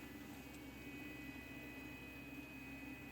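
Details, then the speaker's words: Spare 120 mm computer fan gently blowing inside a home charcuterie dry-curing chamber for air circulation without case hardening: faint steady whir, soft even hum, no rattle or ticking; normal quiet fan operation. "this computer fan is a little bit less. So I think it's going to provide some air circulation, but not overly do it and cause any chance for case hardening."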